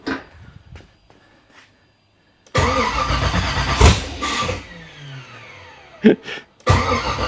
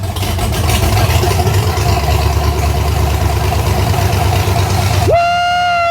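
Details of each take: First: Nissan 240SX with an LS (LM4) swap on its first start attempt, 43 psi fuel pressure: two long starter cranking bursts winding down, never catching. There is no throttle bracket yet, so no gas can be given while cranking; the owner feels it just needs gas. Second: Nissan 240SX with LS swap (LM4 engine), first start after fuel pump swap and fuel lines tightened, 43 psi pressure reading and oil pressure present: loud steady V8 rumble, even exhaust beat, no knock or miss, brief whistle; starts and idles decently.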